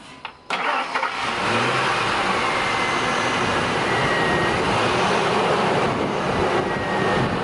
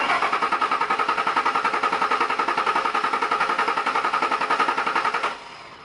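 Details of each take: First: 2001 Ford Expedition 4.6L Triton V8 with the original 15-year-old Ford chip key: a quick starter click, then it catches at once and settles to an even run, a normal start after the spare key was rejected. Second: 2001 Ford Expedition 4.6L Triton V8 with a Walmart-reprogrammed spare chip key: the starter cranks evenly, about 3.5 beats/s for five seconds, and it never fires because the immobilizer does not recognize the key; the fuel pump and filter had already been replaced.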